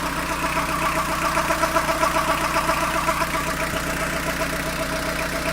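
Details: Fiat Ducato van diesel at warm idle, noticed after coolant change: uneven rattly chatter over the steady beat from belt side of engine, only when warmed up and only at idle; cause not pinned down.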